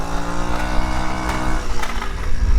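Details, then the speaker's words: Tao Tao 50cc scooter that previously wouldn't stay running as the float bowl emptied, now possibly fixed by a slightly-off valve being corrected: steady, even low hum without stumbling or cutting out; normal running. "Now the problem it had before is that it wouldn't stay running and the bowl would seem to empty out of gas. But I don't think that's an issue anymore."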